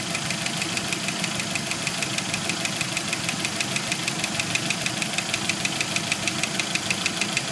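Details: 1991 Jeep Wrangler YJ 2.5L at idle, sharp evenly spaced metallic knocks about three per second that stop and gradually return; first thought a loose rocker arm, owner now suspects a broken piston skirt and failed lifters on cylinders 2 and 4.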